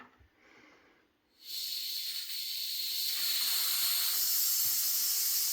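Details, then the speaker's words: House water supply refilling after a frozen copper pipe repair with Sharkbite fittings: a sudden loud steady hiss and sputter as trapped air purges from the highest faucet in the house. "This is the highest point in the house too, so get the air out."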